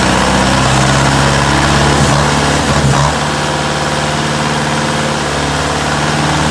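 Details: Diesel engine at idle acting strangely: the low beat wavers and stumbles instead of holding a steady rhythm. Owner suspects a misfire; not confirmed.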